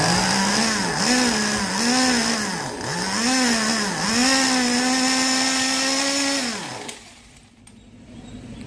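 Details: Carson Storm Racer Pro .15 two-stroke nitro engine in a 1/10 buggy, rebuilt after 10+ years dead, on 20% nitro fuel: a high buzz rising and falling cleanly with throttle blips, then cut off. Revs freely and crisply, healthy.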